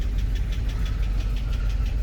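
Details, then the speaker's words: 2006 GMC Sierra 2500HD, engine knocking on arrival, stored crank sensor code, barely runs and nearly stalls: steady idle with a sharp, regular internal knock about five or six per second; the owner plans to replace the crank sensor. "i'll start her up here knocking away"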